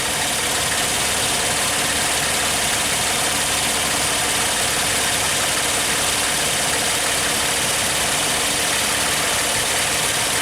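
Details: 2002 Suzuki XL-7 V6 during ignition timing check, timing light on coil one: even, steady hiss and hum at idle with no misses, knocks or ticks; warm engine idling normally.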